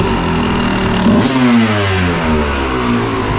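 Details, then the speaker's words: 1997 Kawasaki KX250 two-stroke, sat for years, first start after draining old fuel, carburetor not taken apart: crisp engine climbing cleanly through revs and dropping back without stumbling; normal revving, sounds crisp and good, not yet ridden. "This thing here I'm so glad I didn't have to take the carburetor apart. She sounds crisp, sounds good."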